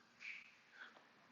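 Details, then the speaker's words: 1996 BMW 328i crank no start, leak-down test showing 100% leakage: a faint airy hiss in puffs heard at the exhaust muffler, not the cooling system, with air escaping past a leaking exhaust valve. "yeah it's in the exhaust now I can hear well I can feel this the smell of raw fuel on the sauce now my ears are black so we got a hundred percent lick"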